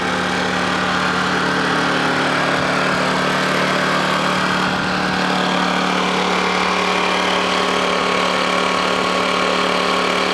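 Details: Honda generator, cold start after sitting unused about three months: loud, even hum at constant speed with a steady low drone and no misses or knocks; normal idle.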